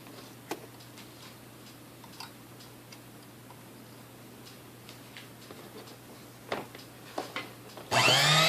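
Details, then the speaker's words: Sunbeam Mixmaster Model 12 mixer after service and ejector repair: quiet hum with a few clicks, then motor rises to a strong even whir with no wobble or rattle; front thrust pin lubricated to stop armature end-play vibration noise. "all right that sounds good that sounds way better amazing how much noise it makes me don't have it that spraying it little thrust pin in the front there"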